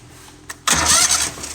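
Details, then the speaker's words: Kohler Command Pro 25 hp engine on a Hydro Tek pressure washer after starter replacement: a brief quick crank catches almost at once into a strong running roar, no longer dragging like the old starter; starter spins the engine properly. "ain't all dragon like it was before"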